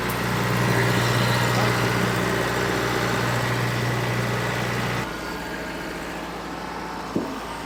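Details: John Deere 455G track loader, about 1991-92, diesel reportedly last started a year or two ago: steady even idle at about four pulses a second drops to a lower smooth idle; healthy.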